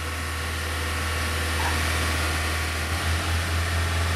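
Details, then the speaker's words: 1997 Honda Accord EX 2.2L being diagnosed for P0118 coolant temperature sensor code, warming up with coolant at 168–170°F, held at 2000–2500 rpm: steady even hum, no knocks or misses; normal fast idle. "many times what i'll do especially after the idle goes down i'll bring it up to 2000 or 2500 rpms to help warm it up"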